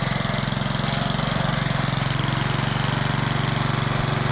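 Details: Old Rover lawn mower, first start after sitting over 10 years, with the primer bulb refitted and primed: steady, even single-cylinder putter at fast idle with no misses or knocks; running healthy.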